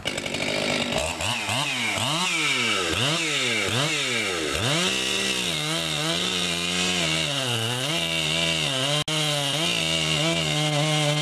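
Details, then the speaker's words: Husqvarna 257 57cc air-injection chainsaw just after leaning the rich carburetor by turning in the low screw slightly, test cutting: crisp revving that climbs and falls cleanly, then a steady loaded pitch; normal running. "I just finished adjusting the carburetor that was running a bit rich so I turned in the low screw just a bit and I'll just take it out for a test run"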